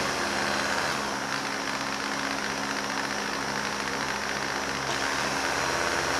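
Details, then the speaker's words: Starter from a non-running 1971 John Deere 140 H3 tractor, tested off the tractor: spins freely with a steady, even whir and no grinding, dragging or catching. The starter itself is good. "cool comes over so the starter is good no problem there"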